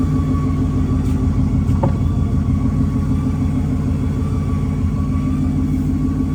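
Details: Naturally aspirated Ford Mustang Boss 302 running: a thin steady whistle like boost whine over an even engine note, stethoscope traces it to the driver's side bell housing, not the pulleys; clutch or flywheel suspected, unconfirmed.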